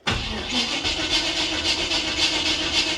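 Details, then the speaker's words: Car with a Holley Sniper EFI (only 50 miles) and HyperSpark distributor/box, runs fine fuel-only, cranking: steady starter whirr about four beats per second, never fires; no spark, EFI apparently not sending signal, cranking possibly too slow from battery. "I'm going to diagnose a no spark on the Holly Sniper with the Hyperspark. So, it's running perfectly fine doing fuel only."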